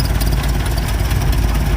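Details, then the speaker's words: 1930 Ford Model A, original flathead four-cylinder with updraft carburetor, rebuilt distributor and carburetor, idling with throttle lever up and timing lever moved halfway down to add timing. Low, steady putter with even firing, no misses or knocks; smooth normal idle. "That adds some timing to it so it runs and idles nice and smooth."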